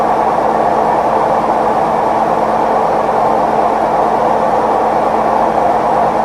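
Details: Maytag Neptune MAH19 washer ramping up to maximum extract spin, unlevel with stuck feet: a loud steady rumbling roar with a hum underneath from worn drum bearings.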